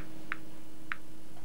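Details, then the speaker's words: Basic radiation monitoring instrument with probe and meter: sharp isolated clicks at irregular intervals over a faint steady hum, caused by natural background radiation, a normal background count. "this is a basic radiation monitoring instrument the clicking you can hear is due to Natural background radiation"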